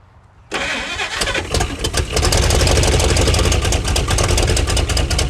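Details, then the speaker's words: 1956 Chrysler Windsor engine, not run in at least 5 years, cold, with a rebuilt starter just installed: it catches and runs rough and uneven only on fuel poured in, then dies. The fuel filter may be clogged, and the engine stalls from fuel starvation. "We just kind of wanted to see if we could get it running for the guy that had us put a starter in it, which you put enough fuel in it, she wants to run. If she had constant fuel, she'd stay running."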